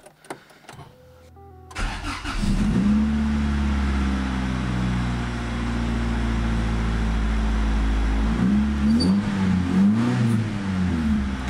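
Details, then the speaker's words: Honda engine after rebuild, distributor wires temporarily twisted together: fires, settles, then revs up and down smoothly with a clean steady tone and no stumble; idle and ignition timing still to be set. "revs up perfectly I think it's good I think we think we're golden we need to we need to set the idol we need to set the ignition timing"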